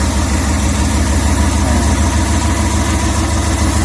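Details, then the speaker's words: Multicab engine at idle, vacuum gauge on the intake manifold port, carburetor vacuum ports plugged. A low, uneven, loping idle with irregular pulses and the engine shaking with heavy vibration. A misfiring cylinder is suspected, and the gauge needle does not reach the green. "So malalaman kasi natin dito kung merong palyadong cylinder doon sa ating makina. Ayan. So, pag pinandar natin, ayan. Ayan. Ayan. So, ayan. Nanginginig siya."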